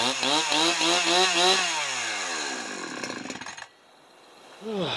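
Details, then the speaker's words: Husqvarna 372XP chainsaw, Walbro carburetor rebuilt with China parts, warm, low-speed just leaned out: revs high then sags toward idle and dies; low-end bogging and stalling instead of idling when warm. "Well, I still seem to get some low end bogging, so I'm gonna get the screwdriver on."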